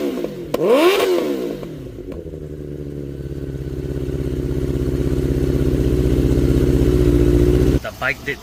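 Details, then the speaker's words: 1992 Suzuki Katana 750F after wiring harness repair and new ignition coils: catches and settles into an even, steady run that builds slightly; no misfire, all four cylinders firing. Normal idle. "Everything seemed to be working good. No more spark. All four cylinders are running."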